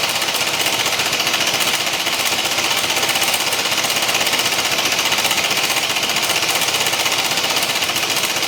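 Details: BMW C1 200 scooter engine with a harsh, rapid clunky clatter of about four knocks a second, terminal-sounding internal knock of unknown cause.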